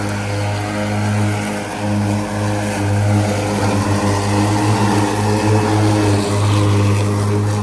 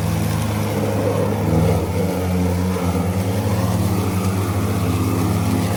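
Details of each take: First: Ryobi ZR3 80V 42-inch brushless zero-turn mower with 14Ah lithium NMC batteries cutting wet grass: strong steady low whirr from the spinning blades, slight load swings, no grinding; normal blade running once driven slower so the deck can discharge cleanly. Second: Ryobi ZR3 80V 42-inch brushless zero-turn mower with 14Ah lithium NMC batteries cutting wet grass: loud steady blade drone sags and dips as wet clippings clog the deck and the blade motors bog down; advice is to slow down so grass discharges from the chute.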